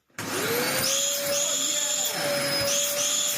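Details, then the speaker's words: Dyson DC04 vacuum in daily use, before refurbishment, with a long-overdue filter: steady high whistle over the motor's rush. The dirt-clogged release valve is whistling. "Sly the release valve is full of dirt and making a horrible whistling sound"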